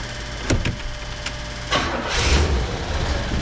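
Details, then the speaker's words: Rusty, long-parked 1977 Oldsmobile 98 Regency cranks a couple of times, then catches and settles into a steady, even idle with no misses or knocks. It sounds normal and fuel delivery is fine. "there it goes soon as it quiet down you know it's cool and fuel cool"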